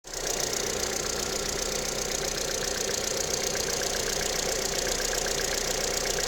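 Fast, fairly even ticking knock riding on a cold idle, bright and sharp over the engine; knocking when cold, cause unknown.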